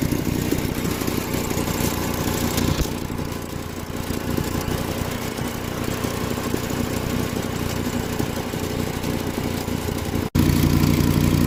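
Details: Volkswagen Rabbit idling with a rough, ticking puff-puff note from an exhaust leak.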